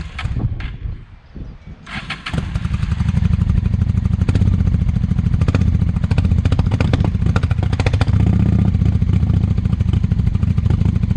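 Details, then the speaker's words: 1998 Honda Shadow 750 ACE, sat over five years outdoors, carburetor cleaned, ridden around the block the night before: a few brief cranks, then it fires straight into a loud, deep, steady V-twin idle with an even beat. Normal start and idle. "I had it running actually went around the block up to the next culde saac there last night so let's see if this thing cranks up right away today"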